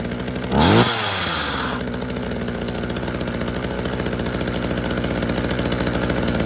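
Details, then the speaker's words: Tanaka THT210s two-stroke hedge trimmer, a former non-starter, cold-started on choke after piston check and carb refurb with new diaphragm: a brief pull, then fires and holds a steady, crisp buzzing idle with even firing; fixed, running healthy. "so there we go it's fixed it runs nice it revs out nice quite a nice hedge trim yeah a nice hedge trimmer that is"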